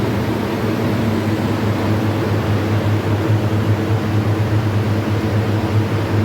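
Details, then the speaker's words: Condensing unit compressor started after troubleshooting: steady even low hum with constant fan rush, no knocking or rattling; running normally. "bale umandar na itong compressor na to condensing unit inandar na namin"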